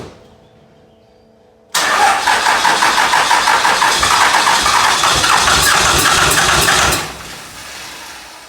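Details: 2001 Cummins dually, 56 block rebuilt with 53 rotating assembly, fresh rings/bearings, 50hp VCO injectors, first start after repair: five seconds of steady cranking at three to four beats a second, then catches into a quieter, even idle; normal start and idle.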